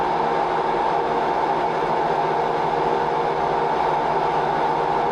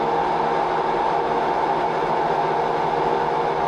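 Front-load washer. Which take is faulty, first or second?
second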